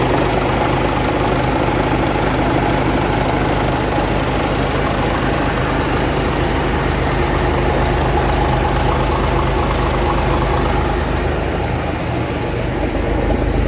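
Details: 1965 Gardner 6LXB 180 six-cylinder marine diesel on a temporary cooling system, test run after restoration following failure at 80 hours: even clatter at roughly two beats a second with deep low rumble; healthy idle.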